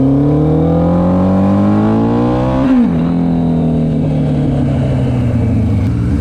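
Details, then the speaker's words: GS750 four-cylinder cafe racer on its first ride after a carb rebuild, dyno tune and new custom exhaust: the howl climbs cleanly, dips briefly at a gear change, then pulls evenly again. Normal acceleration, running sweet. "Alright, that's quicker than I thought. Not bad. Sounds sweet as well. Sounds like a jigsaw, hey?"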